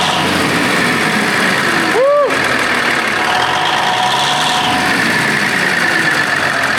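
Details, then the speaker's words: Big Bud tractor diesel, first run after restoration work: settles into a steady, even idle with no knocks or misses; about 70 PSI, paint burning off turbos; runs smooth, normal idle. "مقدس گائے میں یہ بھی نہیں بتا سکتا کہ یہ چل رہا ہے۔ کیا آپ سنجیدہ ہیں؟ یار، اچھا لگتا ہے۔"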